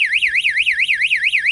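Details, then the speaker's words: Goldfish pond low-water float switch triggered: a fast, high electronic warbling siren sweeps about five times a second until it is turned off, and the pump is shut off; low-water float alarm tripped. "You certainly hear the siren, can't you? That's better. Just turn that back off."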